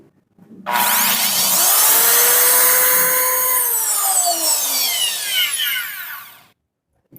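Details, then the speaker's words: Impact drill after repair of a no-power fault, tested on 220 volts: motor spins up to a strong steady high whine, holds evenly, winds down smoothly; running normally. "na lipat [Musika] natin ay gumana na ganon lang siya kadali basta may Tester ka"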